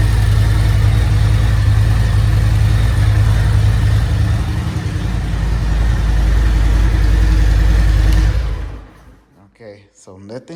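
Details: Harley Road Glide V-twin just after oil change with 4 quarts: even, deep, loping rumble at steady pace, no knocking or ticking; healthy idle.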